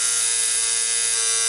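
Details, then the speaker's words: Coil tattoo machine on a practice mat: loud, steady high-pitched buzz with no change in pace. Suspected to be running too strong, not confirmed. "way too strong there's a bunch of videos where people say yeah i have my machines running at seven or ever like honestly a good machine like this one uh if it's well tuned to probably run like 4.8 it would even run like way lower"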